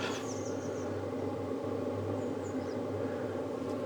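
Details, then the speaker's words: Hcalory TB MAX diesel heater ramped down to power level one (about 20–31 watts): soft, even hum with gentle airy whir, no rattles or surging; normal quiet low-power running. "And can you hear it quietening down? And if you watch the you can see it's gone down to one bar on the power there now. So that's the noise on number one"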